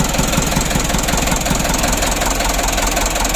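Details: Mitsubishi Canter 136 PS HDL diesel engine, overhauled and rebuilt after overheating, first start: deep, even diesel idle with a steady knocking beat and no misses or odd noises; the rebuilt engine runs smoothly.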